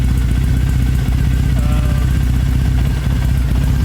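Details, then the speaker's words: Motorcycle idling untouched, about 10 minutes in, during a TuneECU new-map adaptation, with a green TPS light showing. Low loping idle with occasional stumbles; it doesn't always fire correctly. Engine light is on; the owner suspects this relates to the removed solenoid. "You can hear that the motorcycle's a bit terms of how it's firing. It doesn't always fire correctly, sort of."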